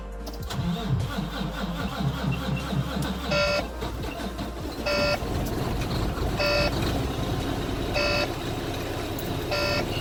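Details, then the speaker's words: Volvo VNL D13 diesel truck after priming the fuel with the hand pump until hard: slow cranking, then it catches and settles to idle with a beep every second and a half; hard start of recent weeks, cause unconfirmed. "okay you guys see that yes YouTube so that's yes YouTube so that's that's a that's a problem I've been having um over the past couple of weeks"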